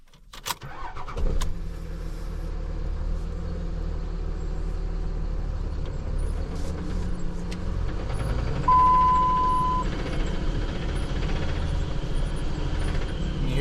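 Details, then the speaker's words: NV4500 manual transmission in a Dodge Ram 3500 running in first gear after start-up: loose knock three to four times a second. "Second gear, it's a little bit louder. I don't know if that's showing up for you guys or not, but it's really loud. Sounds like I got a rod knock."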